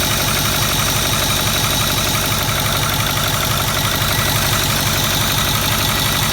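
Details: 2008 Ford Powerstroke 6.4L diesel idling with valve cover off, glow plugs unhooked: loud clatter with steady top-end tapping about three times a second; cause unknown.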